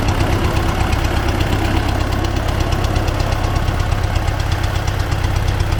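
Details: T-40AM tractor diesel in about -14°C after a month standing, driving under load to test the differential lock; steady regular knock close to three per second over the clatter, engine knock, origin unidentified.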